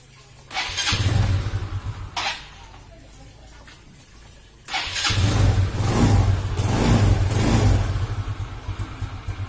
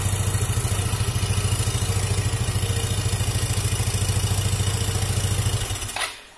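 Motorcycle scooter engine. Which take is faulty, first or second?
first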